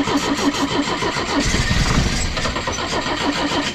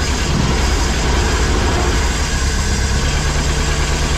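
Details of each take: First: Pinzgauer in neutral cranking after new fuel pump, first start in about 3 years: steady starter churn, about three turns a second, no firing; fuel filter filling but not yet primed enough to start. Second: Pinzgauer idling cold after fuel pump replacement, first run in about 3 years: deep, steady rumble holding an even idle with no misses or hunting; normal idle.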